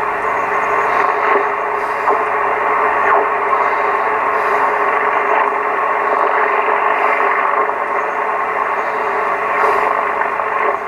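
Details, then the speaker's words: Vintage Yaesu FTDX-560 receiver with the antenna connected on 40 meters: a steady band hiss with faint station chatter that rises when the preselector is peaked. It receives normally. "Okay, I got the antenna connected to it, 40 meters. And as you can hear, we can peak our noise."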